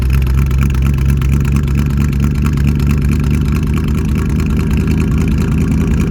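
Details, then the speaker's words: 1971 Chevy C10 Cheyenne, 350 V8 with dual Cherry Bomb glasspacks, cold-morning start with choke: deep steady burble, even beat, no ticks or knocks, runs like it should while warming: normal running. "remember warm it up all right well runs good like it should"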